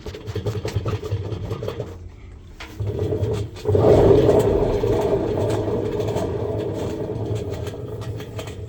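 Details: Samsung washing machine: loud uneven rumble swells as the drum spins with rattling clatter; faulty drum bearings suspected, not confirmed.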